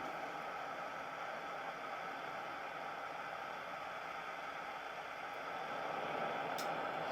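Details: Camping stove, preheated with meths (methylated spirits): soft, steady rushing roar holding even with no sputter or popping; burner running normally.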